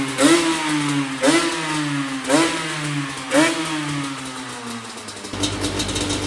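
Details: Yamaha Banshee two-stroke quad bought at a storage unit auction, first run: four crisp revs about one a second, each rising and dropping cleanly back to idle; sounds healthy.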